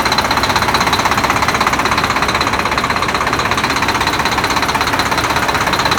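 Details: Volvo D13 diesel, hard start after replacing double idler gear in timing gear compartment; even hard idle clatter about 160 beats a minute, steady, no miss.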